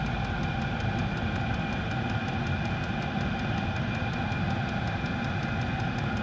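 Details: Diesel garage heater after E08/E10 fuel-related error codes, running a minute or two, fan on high, pump pumping fast, no exhaust smoke: steady hum, quick regular pump ticking, constant fan roar; normal running.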